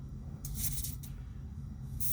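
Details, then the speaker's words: Airbrush air supply, valve on bare hose with compressor running: airflow hisses about half a second then cuts out about a second with a thump-like hesitation, over low compressor rumble; intermittent airflow cutoff at valve, cause unconfirmed. "It's like this little hesitation, like a thump. So something's going on there."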